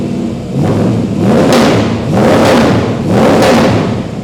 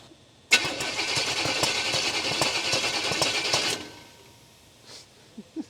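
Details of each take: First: Freshly swapped 350 crate V8 in a 1951 Chevy 3100 farm truck, just first started, oil pressure 20 on cranking: deep rumble swelling and easing with slow throttle blips, smooth and even throughout. Normal running. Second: 1951 Chevy 3100 farm truck with a swapped-in 350 crate engine, first start attempts: steady fast cranking, then sharp uneven pops backfiring through the carburetor; timing suspected off, cam feared flat, not confirmed.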